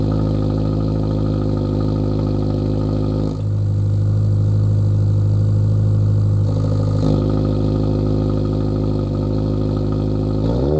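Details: Lowered Subaru VB WRX after intermediate pipe upgrade (replaced after damage while driving): deep steady exhaust drone swelling with a couple of revs, cold start noticeably louder, no rattles or blowing leaks; normal exhaust note.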